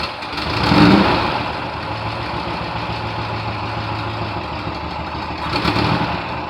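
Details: 1972 VW bus air-cooled flat-four, first run in nearly 30 years after sitting since 1990: catches and settles into a steady, slightly lumpy idle with a brief blip; running fine.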